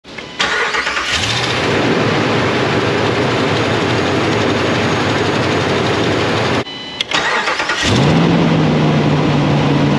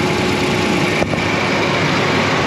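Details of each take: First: 2016 Dodge Ram 1500 5.7L V8 cold start: the engine cranks and fires with a raspy, whiskey-rattle ticky-tick exhaust noise on startup, from an exhaust manifold leak. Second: 2016 Dodge Ram 1500 5.7L V8 after exhaust repair for cold-start exhaust leak tick: restarted, steady even idle, no ticking or puffing from the manifold; normal idle, exhaust sealed, no leak.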